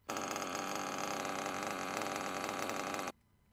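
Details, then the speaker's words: RC nitro engine idling with a harsh, gritty metallic grind, like sand in the engine, over its steady buzz; sounds like the drivetrain turning but isn't. Rear engine bearing is worn out and needs replacing. "do you hear that there's a normal ideal then there's that sound that shouldn't be there that's the rear bearing it almost sounds like the drivetrain is turning but it's not so when you hear that you know that your rear bearing is toast and you need to change it"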